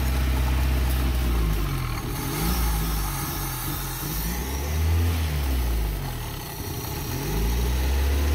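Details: 1987 Toyota 2WD pickup (Hilux) with 22R engine, carbureted, won't idle and stalls unless throttle is held. The note swells and sags and never settles while a vacuum-leak spray check is done; carb, cap and rotor are also suspects. Cause unknown.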